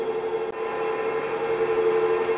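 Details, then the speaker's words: Lion 23MT lathe headstock after 35 days of use, break-in oil change done, test run: even, steady mid-pitched gear hum without knocking or grinding; running normally. "everything sounds good in that speed range"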